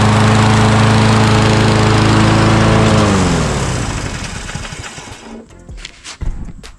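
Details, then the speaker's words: Neighbor's small single-cylinder mower, started after refitting the spark plug boot, runs with a rapid, slightly uneven beat then winds down; sounds off, cause unclear; needs oil change and air filter. "does sound a little weird though. Well, this is going to need an oil change."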